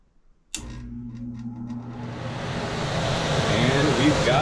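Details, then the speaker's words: Furnace blower starting after replacing the blower motor capacitor (previously hummed with no airflow, no heat); motor clicks on and spools up smoothly into a steady rush of air with no hum, blower running normally. "a fan that is spinning so that was it that is replacing the fan"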